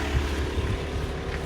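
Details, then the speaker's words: Mercedes S-Class W220 S320 CDI inline-six diesel at idle just after start-up. Smooth, steady, quiet low rumble with no knocks or misses, very clean-running with no smoke seen. A normal diesel idle. "Beautiful, straight inline 6. Fire it up. Lovely. Probably can't even hear that. It's that quiet. Lovely quiet engine."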